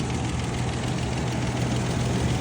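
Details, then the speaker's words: Engine idling, recorded close up with the hood open: steady, even low rumble with no knocks or misses. Normal idle. "Going to get a little closer up here so you can hear. Sounds perfectly fine. Sounds great."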